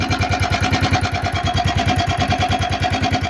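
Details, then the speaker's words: Italika FT150 motorcycle that won't stay running, with engine noise: small single chugging about three beats a second with hard uneven beat, won't accelerate; worn cylinder, cylinder sleeve replaced as fix; engine noise from worn cylinder. "hay que desmontar el motor ya quedó la moto Ya mi carnal le cambió la camisa"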